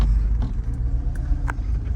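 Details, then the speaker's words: 2003 Mercedes SL500 V8 idling with an uneven, lumpy rumble, feeling like seven of eight cylinders firing; misfire suspected from a coil pack or spark plug, not confirmed. "And also dealing with uh a misfire. So it feels like it's not firing on all uh eight rather possibly just seven. Could be a coil pack, could be a spark plug."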